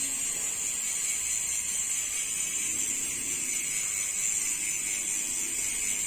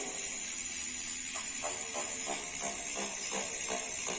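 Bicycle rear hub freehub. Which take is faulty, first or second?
second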